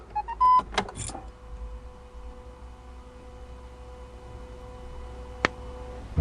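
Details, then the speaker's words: Peugeot 3008 1.5 BlueHDi diesel after filter change, priming the fuel filter at key-on: after a couple of clicks, faint steady electric hum for about five seconds; normal fuel lift pump priming. "Donc maintenant, il s'agit d'amorcer le filtre à gasoil aussi. Donc là, j'ai déjà mis deux coups de clés. Donc je vais en mettre On entend la pompe de gavage."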